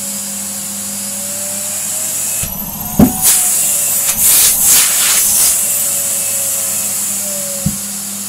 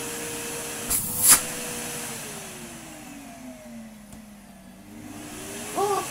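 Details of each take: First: Numatic Henry HVR160 vacuum fitted with a long oversized hose: high steady motor whine broken by sharp bangs with pitch dips as the hose sucks itself flat under the strong suction. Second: Numatic Henry HVR160 vacuum with a replacement motor, after fixing an unplugged live cable at the cord reel: a couple of clicks, then the motor soft-starts, note gliding smoothly up in pitch with no grinding or rattle.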